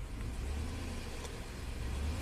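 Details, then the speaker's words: 2005 Chevy Silverado 2500HD with reman engine after seized original, low miles: misfire on cylinders two and six at idle, mostly bank one; raising rpm slightly gives a deep even rumble with misfire clearing; no check engine light. "it does get smoother and the misfires go away very interesting place your bets now"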